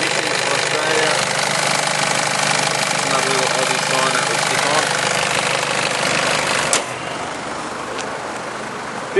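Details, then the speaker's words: Nissan Elgrand diesel, serviced in Japan. At idle there is an even diesel clatter with a steady rhythm and no odd knocks or rattles. It sounds the way it's supposed to; normal idle. "Does sound like a diesel, of course, but it sounds the way it's supposed to sound. No strange noises."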